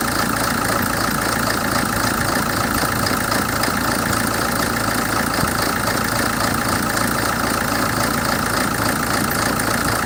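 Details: 2007 Hyundai Terracan CRDi diesel at idle: lumpy uneven clatter about four beats a second that never settles; rough idle, cause unknown.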